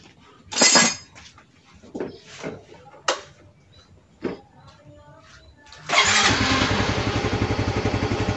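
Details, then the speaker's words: Yamaha Mio 125 FI scooter that bogged and stuttered after full throttle at low revs, blamed on a weak fuel pump: after the leaking pump pressure-relief valve is propped with a valve-spring cap, it starts and putters steadily without hesitation. Normal running. "Sepeda ini sudah kembali normal, teman-teman. Setelah dipasangi tali atau ditopang dengan pegas seperti sebelumnya, teman-teman."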